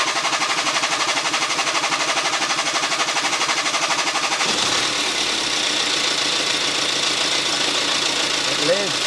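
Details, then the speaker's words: BMW with refurbished engine and fresh piston rings, initial startup: uneven pulsing and shaking that settles into a smoother run; owner suspects burning off oil and adaptations settling, cause not confirmed. "I said that this thing was running a little bit rough on initial startup I think that was probably just burning oil and whatever else off and letting the adaptations kind of do their thing"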